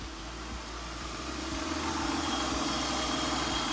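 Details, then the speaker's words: 2001 Acura TL after an idle air control valve fix for code P0505: the petrol engine idles smoothly and steadily with an even low pulse, no misfires and rpm back to normal. "really good like I said no misfires rpms are back to normal"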